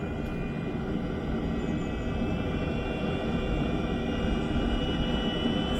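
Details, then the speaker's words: Webasto Thermo Top V fuel-burning auxiliary park heater on a Land Rover Discovery 4 (LR4), startup: steady, even jet-like combustion roar building slightly with some smoke, no popping or sputtering, a normal, healthy burner startup. "jet engine it's all happening all right so we've got some smoke some smoky coming on"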